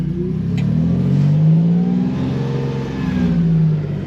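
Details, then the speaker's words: Truck with home-made sequential transmission controller, ECM driving dummy solenoids, upshift to third gear under throttle: deep engine drone pulls smoothly after shift with no slip, flare or clunk; normal acceleration after upshift. "Third gear. I just felt the shift."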